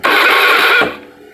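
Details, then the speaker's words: Honda Beat FI scooter with no ignition, during LED test on the ignition coil ground line from the ECU: under a second of starter whir with no firing; cranks but won't start, ECU first suspected, cause later traced to the pulser. "Oh, enggak nyala ya. Saya matikan lagi."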